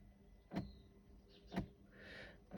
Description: Mercedes 2001 C240 W203 V6 a/c CLICKING NOISE IN DASH. STEPPER MOTOR ACTUATING ARM. RECALIBRATING FIX